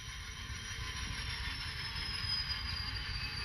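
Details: Small model locomotive passing a Kato turnout treated with No-Ox ID A Special: soft, even rolling hiss with no clicks, stutters or drop-outs; smooth running through the turnout.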